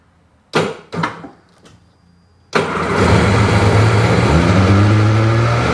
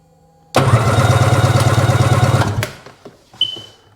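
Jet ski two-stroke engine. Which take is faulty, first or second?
first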